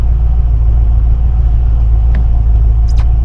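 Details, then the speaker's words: 1972 Mercedes-Benz 280SE 4.5 V8, cold start after adjusting the right-bank valves for tappet noise, no throttle, in park: steady, even low rumble at about 1,000 rpm fast idle, no ticking or misses; healthy. "Okay, well, let's do a cold start. It's in park. Here's the fuel pump energizing. No foot on the gas, just let the cold start injector do its thing."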